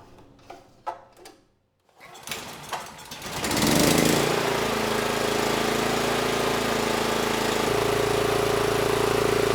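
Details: NorthStar 8000 PPG generator, 13 hp Honda GX390: a few pull-cord tugs with choke on, then a steady governed hum with no hunting, throttle set screw adjusted to about 61 Hz.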